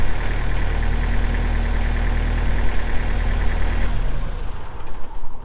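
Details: Kubota M6800 tractor (2004), pre-emissions diesel, 1,181 hours, 4WD with LA1002 loader: steady, even idle with smooth deep drone and no knocks, then clean shutdown near four seconds; healthy normal idle.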